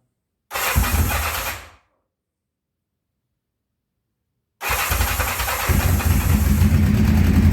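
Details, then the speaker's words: 1984 Honda CB700SC Nighthawk after carb cleaning, just started cold on choke after sitting long: smooth but slow, lazy idle; idle screw needs turning up once warm; low idle when cold. "it's still cold it's got a warm up a bit"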